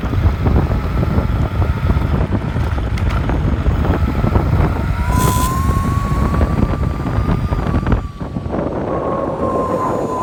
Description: Video of the high pitch whining noise.